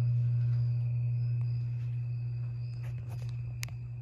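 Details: 52-inch Harbor Breeze Lakeside II ceiling fan, polished brass, before restoration, stuck on low on all three speeds: the failed capacitor is cracked and slightly melted. Loud steady low hum throughout, no rhythm; capacitor to be replaced.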